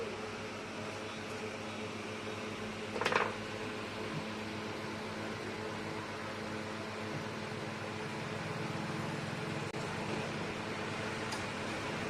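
A steady low hum with a faint whirring drone runs throughout, plus one brief rattle; the fan is noisy, cause not pinned down.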